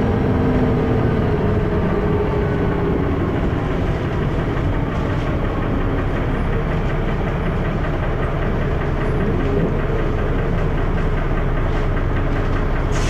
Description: First Manchester Dennis Arrow, with has a loud 'knocking' noise, and also with lots of thrash!